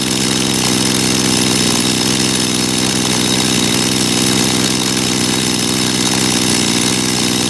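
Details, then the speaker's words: Dolmar chainsaw after carburetor cleaning, idle set high via the S screw on purpose so the chain creeps; fast steady two-stroke buzz, before turning the S screw out to lower idle until the chain stops. "ihr habt gesehen auch bei mir hat es die Sägekette mitgedreht das war ja so gewollt"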